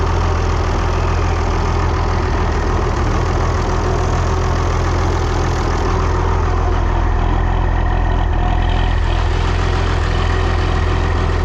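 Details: Steady, deep diesel thrum with even firing and no knocks or misses from a 1955 tractor being backed out of the barn; normal healthy idle.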